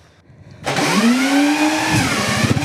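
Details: Cub motorcycle, first start after the motor was reassembled: the starter catches and the single fires cleanly, revs rise smoothly, then it settles to an even idle; a healthy start.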